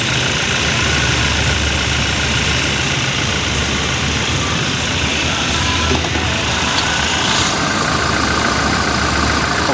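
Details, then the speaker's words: Toyota New Fortuner VRZ idling with AC on after compressor repair: steady even hum, growl gone at the compressor and no longer heard in the cabin; normal AC compressor operation. "sudah hilang ya Jadi untuk suara ngoroknya dah nggak ada lagi dan masalah sudah teratasi"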